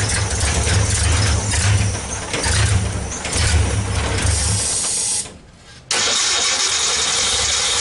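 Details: 1964 Ford Econoline van with a 170ci six and points ignition, previously crank-no-start. With the coil resistor bypassed and full 12 volts to the coil, it cranks, catches and settles into a steady idle with an even low rumble.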